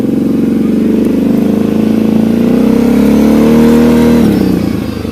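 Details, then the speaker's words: Kawasaki KFX 700 ATV after carburetor cleaning, handheld camera while riding; revs up strongly then decelerates smoothly with no popping, where it used to backfire on deceleration. "mainly this is just so we can see if it's popping um so right there when I decelerated would have popped before"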